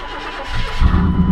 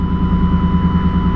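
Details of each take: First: Truck with long-standing starter problems (three new starters fitted) gives a brief crank, then catches right away and settles into a deep steady rumble. Clean normal start, before repairing its blown-out muffler. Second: Truck idling before exhaust repair with a loud, raw, blatty exhaust pulsing evenly over a deep rumble. The muffler is blown out with a hole that grew for years; the tips were cut off after rattling against an oversized hitch receiver.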